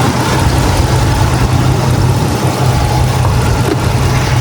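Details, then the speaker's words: 2005 Dodge Ram 5.7 V8 during PCV valve replacement, just after Seafoam was put in the intake, carbon blowing out: deep, steady, even idle rumble with no misses or ticks; normal idle. "Oh yeah. All that carbon blowing out from the seafoam. It's all that seafoam we just put in there in the intake."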